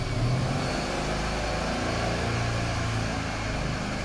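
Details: Mercedes-Benz CLS500, M278 V8, about 230,000 km, held at raised rpm during cam adjuster activation. Intake deviation is 4°, ideal; steady run with no chain rattle or ticking, and the chain is in excellent condition. The intake cam coupling is still to be replaced.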